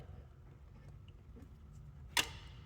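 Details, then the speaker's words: 1987 Ford Ranger, A/C relay bypassed with a jumper wire across the relay socket: quiet background then one sharp metallic click as the compressor clutch engages normally. "You hear that click? That's our AC compressor clutch engaging."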